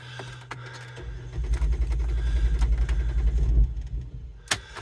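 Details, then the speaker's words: 2007 Jeep Wrangler JKU that won't start unless both front seats are occupied. With 80-100 lb of bricks on the seat, the starter cranks about 2.5 seconds and the engine almost catches, then dies; cause unclear. "almost it kind of starts and then doesn't complete going get complete going I talk good don't I it almost starts not quite"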